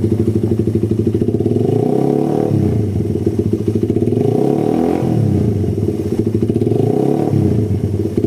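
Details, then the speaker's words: Suzuki Satria FU after service (worn camshaft, stock vacuum carb, oversized exhaust); single-cylinder pulls through several smooth throttle blips and settles cleanly, no stumble or hesitation; earlier hesitation fixed, normal running. "Terus kalau digiring dia jeda-jeda, sekarang sudah sembuh. Digiring pun enak, langsam, digas juga lebih powerfu"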